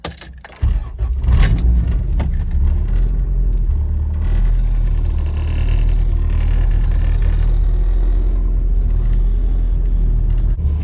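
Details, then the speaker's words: Honda CRX with B-series swap, cold start the morning after fitting new engine mounts: engine settles into a steady low idle with only a faint light rattle, far less than before; normal cold start. "it's a little rattly but nothing compared to what it was it's definitely a big change"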